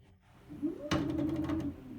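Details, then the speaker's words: UUNA TEK 3.0 automatic writing machine, X-axis carriage pushed back and forth by hand after loosening screws: wavering low buzz and jolt as it drags; normal resistance from motor back-torque, not abnormal noise. "and this sound, this is normal. This is due to the torque generated by the motor's back."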